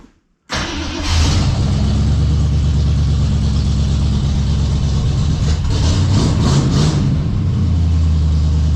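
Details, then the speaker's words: 1970.5 Ford Falcon (Torino) barn find, just fitted with cheap glass-pack mufflers; catches after brief crank and settles into steady deep throaty idle, no knocking, 35–40 psi oil pressure, headlight rattling; sounds good. "I like it. Sounds good. Happy. It's idling for about 40 pounds."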